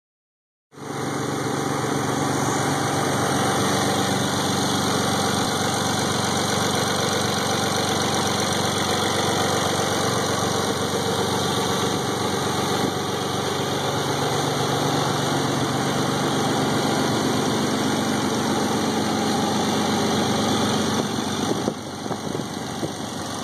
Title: Bad ticking sound on a '91 Nissan 300ZX NA?